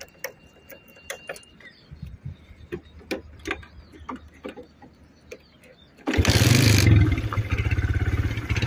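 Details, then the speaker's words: Suzuki Shogun SP 125, about 18 years old, after kiprok (regulator) and CDI replaced and tune-up with oil change: light clicks, engine fires promptly into a smooth, quiet, steady idle without misfires; normal start and idle. "hidupkan ini suara mesinnya ya teman-teman halus lagi jadi beneran nyaring"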